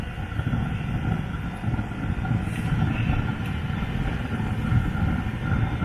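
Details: Newly fitted Webasto diesel parking heater on a Land Rover Freelander 2, first start: low steady roar with soft flutter builds and holds, smoke appears, circulation pump running; burner lighting into normal combustion.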